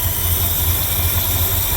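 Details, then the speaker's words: 1972 Ford F100 390FE V8 just after swapping a Holley 600cfm for an Edelbrock AVS2 625cfm carb, automatic choke wired off, unadjusted: low, even idle with steady throb, no stumbling; previously wouldn't idle well. "and it's idling so we'll see how it goes"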